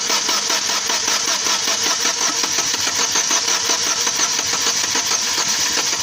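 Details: Lacetti engine at idle: a quick, even ticking knock rides over a steady idle, a mechanical knock inside the engine; source not yet identified.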